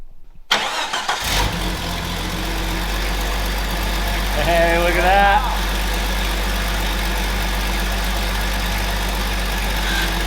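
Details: Old Jeep, untouched for over 2 years: a short crank, then it catches and settles into a steady, even idle with no stumbling; normal start and idle.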